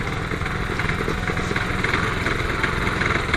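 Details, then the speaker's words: Roketa 250 at idle: uneven, irregular clunking and rattling rides over the engine from the rear gearbox; owner suspects a spun bearing or bushing, unconfirmed. "so you can hear the noise coming out of the gear box of this thing it's just making a very clunky noise"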